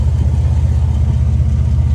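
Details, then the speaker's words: Chevy Blazer at idle after a new cat-back exhaust with an off-brand Flowmaster Super 10-style muffler, with an aftermarket cat: deep, even rumble with steady low pulses, better than stock, and the earlier exhaust leak is gone. "Okay, well, the exhaust is done. Sounds really good. I mean, compared to stock, it's obviously going to sound a lot better, but no more exhaust leak."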